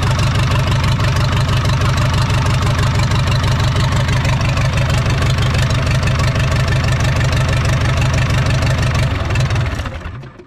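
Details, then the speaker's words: 1980s Komatsu D31S track loader with a Cummins 4D105-3 diesel, sat 5+ years, after a fuel line repair. A small pinhole fuel leak and some blow-by remain. Steady diesel clatter at a fast even idle, no misses or knocks, before shutdown; it runs healthy. "Now, aside from that small fuel leak, the engine is turnkey."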